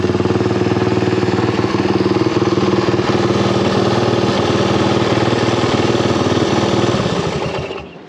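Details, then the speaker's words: Honda XL175 single-cylinder dual-sport after exhaust/muffler replacement: even deep thump at idle about four beats a second then shutoff; new exhaust sounds deeper but barely quieter; normal exhaust note. "you know like i said i didn't think it was going to be that much quieter it's kind of a different uh deeper sound i wish it was a little bit quieter"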